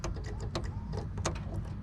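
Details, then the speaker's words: Dodge with a no-start condition: rapid, uneven relay clicking, several per second, over a low hum while the orange 5 V reference wire is shorted to ground, pulling the voltage from 5 V to about 1.5 V. "So you hear it clicking. It's just shorting out to ground, and it's pulling it down to ground."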